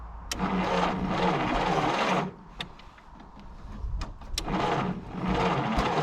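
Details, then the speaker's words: 1951 Willys CJ3A Jeep, off road since 1969, weak spark and low 6-volt battery: two bursts of slow, uneven cranking with a small pop; turns over but no start, possibly flooded. "It did pop. Just a little, but it did. Oh, we're close. We're so very close. I think we might have flooded it. She doesn't have very strong spark."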